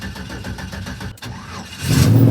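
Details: Ford Bronco with big block 460, sat over three weeks with a known battery draw, expected to need a jump. Starter churns steadily for nearly two seconds, then it catches cleanly into a firm, even idle. Normal start.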